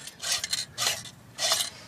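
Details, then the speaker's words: Mustang clutch throw-out bearing spun by hand: harsh rasping in three short bursts; the bearing is worn out and appears to have seized onto the transmission input shaft. "so throw out bearings toast on this go ahead and pull it out this bearing is toast it seized itself to the input shaft it appears"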